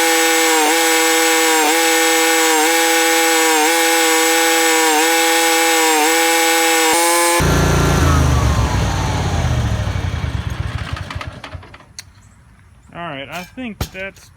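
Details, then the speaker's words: Yazoo MidMax 52 mower deck run without blades after installing cheap replacement spindles with the thinnest spacer: even engine drone at steady pitch, no belt squeal or grinding, then winds down; belt didn't smoke, spindles hot, normal running. "good pretty good test we didn't smoke the bell tinny"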